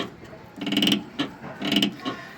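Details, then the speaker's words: Renault Sandero rear brake proportioning valve linkage, rocked by hand under the car: two dry, rasping creaks, the squeak heard over speed bumps and potholes as the axle moves, from a dry, loose linkage. "é justamente o eixo vai subir e descer entendeu quando tiver passando quebra molle em buraco e vai fazer esse rangido"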